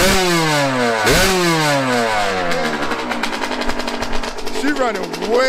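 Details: Yamaha YZ125 two-stroke after carb air-screw adjustment found the sweet spot: crisp blips climbing and falling cleanly with the throttle, no stumbling or bogging; sounds way better than before, carburettor running as it should.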